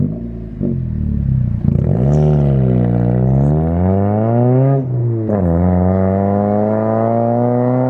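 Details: Girlfriend's car with a straight-piped exhaust judged far too loud and due to be fixed; loud, raspy, booming note climbs with each rev and drops back with no muffling, an unsilenced straight pipe.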